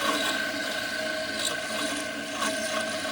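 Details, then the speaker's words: Failing air compressor (aerator) motor of an aerobic septic system, a cause of the yellow warning light: choppy, rattling hum with occasional squeaks, from bearings worked loose; a new aerator sounds smooth. "I want to play this little sound for you because you can hear what it sounds like when an aerator starts to go out because the bearings get loose."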